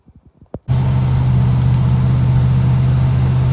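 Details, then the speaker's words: Old Dodge Charger 318 V8 with new Amazon carburetor, idling low and uneven with a loping beat about four times a second; owner suspects misfire from bad spark plugs, before plug and wire replacement. "i'm gonna charger and i definitely think that i have some valid spark plugs because listen to this i can hear like misfires like"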